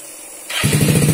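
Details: Yamaha Mio engine being built into a gooped setup, starter wired directly: short crank, then it fires at once and settles into a steady, even idle; a clean, healthy start.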